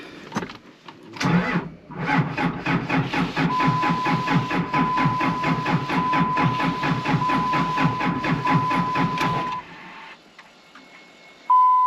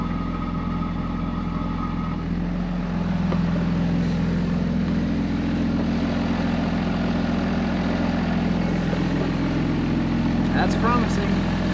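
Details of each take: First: 2005 Ram 2500 after replacing the FASS lift pump and damaged fuel supply lines that had air leaks; starter cranks steadily about eight seconds then stops without firing, owner fearing low battery, charger then hooked up. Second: 2005 Ram 2500 diesel idling after FASS lift pump and fuel line replacement, no leaks; steady, even idle clatter without stumbles or knocks, running pretty even: healthy idle.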